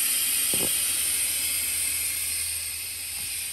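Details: 1987 GMC General converted RV, front drive axle air brake relay valve leaking before replacement: constant loud hiss over faint diesel idle; at idle system held only 90-94 psi, not over 100.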